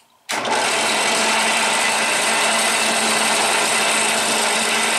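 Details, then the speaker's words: Harbor Freight Central Machinery five-speed 8-inch benchtop drill press, not bolted down, running on the high-speed pulley: sharp spin-up, a steady high whine with a gritty hiss and slight vibration, and it sounds off even while stopping. Cause unknown. "it just sounds greedy there's a little bit of vibration that is not bolted down to the table"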